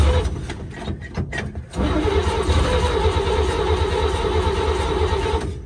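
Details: 1954 GMC 150 barn-find truck with new plugs, wires, rotor and fuel line: starter grinds the engine over at about three turns a second with no firing catch; cranks but won't start, fuel delivery being checked, ether considered.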